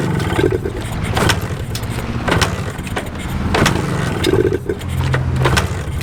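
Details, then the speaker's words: 1981 Suzuki TS250 two-stroke enduro revived after years sitting, choked on a 100° day: catches and revs unevenly, surging and sagging as if starved, never holding a steady run; suspected fuel supply issue, owner plans checking carb pilot jet and float. "Sounds like a fuel supply issue. All right. So, it will run. It just won't stay running."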